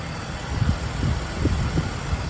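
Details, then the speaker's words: 2005 BMW E46 330i ZHP after replacing a rattling DISA valve: petrol engine idles with a low, steady rumble, nice and quiet, rattle gone. "nice and quiet now the zp is back on the road"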